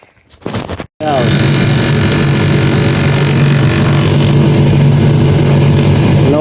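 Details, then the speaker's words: John Deere 2054D excavator cab blower with a used replacement motor, running at maximum speed because the blower resistor has failed: even steady fan rush and low hum, no rattle; normal blower operation. "more rattling. Rattle. Yeah, we needed some sort of seal here. I put a washer or so."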